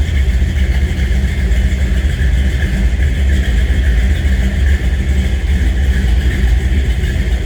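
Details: 1962 Chevrolet Biscayne V8 idling after a cold start: deep, loud, even rumble with a steady beat and no misses or knocks; engine idles smoothly.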